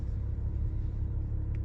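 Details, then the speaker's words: 2019 Ram Promaster City idling in gear: deep steady rumble and drone, loud in drive and reverse, absent in park and neutral, with whole-car vibration and engine jerk. Worn rear lower engine mount. "is very loud. It's if I have it in park, the noise go away, but if I put it into reverse, you start hearing it. The neutral, you can't hear it. Drive, you can hear it."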